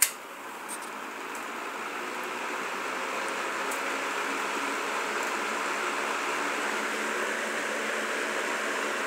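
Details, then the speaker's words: Box fan turned up to high speed: even, steady airy whoosh; runs smoothly and quietly. "plugged it in it's quiet got a little bit of rubbing in the sounds like the washers on the front are tapping it's got a nice quiet low speed it's gonna be perfect to sleep"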